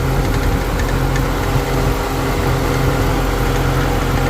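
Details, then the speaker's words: Infiniti M45 VK45DE V8 at idle: light, fast clatter from the belt area over a steady idle. Pressing on the pulley stops it, and it returns in drive or reverse; pulley or tensioner suspected. "I'm not sure if it's the pulley itself or it's the tension or making noise in the background because we kind of see moving a lot right there"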